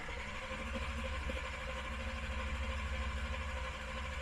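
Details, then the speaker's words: Camaro on a Killshot II throttle-body EFI install (Command Center 2 fuel system), fuel pump not yet hooked up: steady starter churn about three turns a second, engine cranks but never fires, no fuel supply. "because we don't have the fuel pump hooked up we're trying to get more fuel into that we're going to sit here and crank this for a second"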